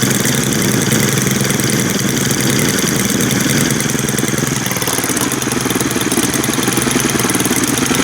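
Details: New Stihl two-stroke string trimmer after raising the idle slightly: steady buzzy idle that eases a bit lower and runs evenly without stumbling; healthy idle.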